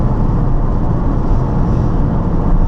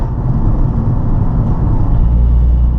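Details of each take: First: Nissan 350Z driving with upshifts at the owner's-manual speeds of 15, 25, 40, 45 and 50 mph. A steady low engine drone holds at cruise after the shift, with no stumble or bogging. Normal pull after upshift. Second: Nissan 350z upshifted early at about 33 mph under slow, gentle acceleration: deep, heavy drone as the engine lugs and bogs at very low rpm in a high gear.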